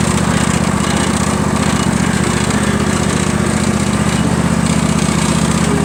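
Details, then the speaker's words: John Deere L118 twin-cylinder mower, cold start with old carburetor before replacement: loud choked chugging with uneven stumbling beat, one cylinder not firing correctly; faulty carburetor only runs with choke on, new carb pending. "It's really something messed up with this carburetor. So really the only way to make this run with this particular carburetor is to keep that choke on, which is not good for the engine."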